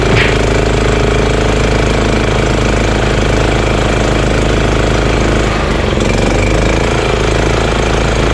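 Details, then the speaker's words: EZGO Workhorse golf cart with Honda GX340 single-cylinder: idle set low, steady slow thump with no misses or surging, though still engaging the belt. Normal idle. "uh i'm gonna see how low i can get the item and that's pretty low idle you know that's pretty good idle idler very good actually but it's still engaging the belt"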